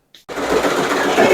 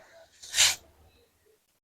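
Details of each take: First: Voltas window air conditioner running: fast busy clatter from the cracked outer condenser fan blade striking the housing; broken fan blade rattle. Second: Voltas window AC after replacing the cracked fan blade that caused a rattling noise, tested before refitting the cover: silence, then motor spins up with rising hum into steady fan rush, no rattle or ticking; fan now runs normally.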